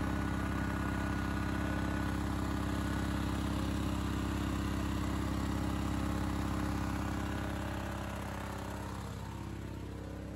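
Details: Honda EX1000 suitcase generator during load test after hard starting (owner suspected fuel issue): steady, even drone holding constant speed under load, no hunting or surging. Normal running.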